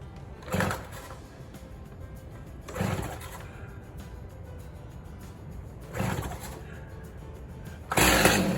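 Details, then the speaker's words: Stihl chainsaw on fresh gas, out of gear, trigger pulled, lever on choke/cold start: repeated pull-cord rasps every few seconds, then a louder, rougher burst, the "chortle" of first catch, signalling time to move the lever to run. "And basically, then what you do is you do this until you hear it chortle."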